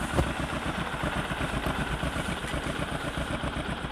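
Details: Discover motorcycle in a clip on mileage and engine sound problems: a steady single-cylinder idle with even pulses, about four a second, and no knocking or rattle; a smooth, healthy tickover.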